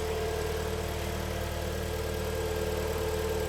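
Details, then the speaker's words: Kia Sportage 3, automatic, AWD, 180,000 km, cold first start after engine repair for scored cylinders and piston knock: steady, even idle with smooth low hum, no knocks or ticks; a hum from the transmission is noted, possibly low oil. "Да хорошо запустилась смотрим слушаем смотрим течи слушаем звуки вот коробочка урчит холодная может быть масло Маловато там"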